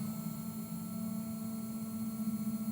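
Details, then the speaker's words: Nail electric drill handpiece running forward at mid speed (max setting 30), a clean steady hum with a faint ringing overtone, no wobble or grit; spinning smoothly, normal. "That's what 10 speed rotations per minute sounds like."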